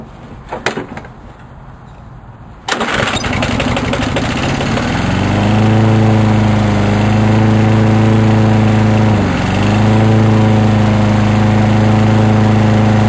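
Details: Sears Craftsman lawn mower, 6.75 HP engine, with new cord, tune-up and cleaned carb, used weekly for over 3 years: pull-cord rattle, then it catches and settles into a steady, even drone with one brief dip; running healthy.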